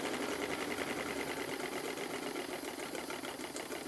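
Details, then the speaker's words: Stuart Models triple-expansion model steam engine on live steam from a Stuart 504 boiler, run in beforehand on compressed air: quick, light chuffing about three beats a second with steady steam hiss, no knocks; runs freely, slight leak around the high-pressure cylinder oiler. "it seems to run very well indeed on steam it's a bit looser than it was when I first bought it because I've run it quite a few times on compressed air just to run it in properly"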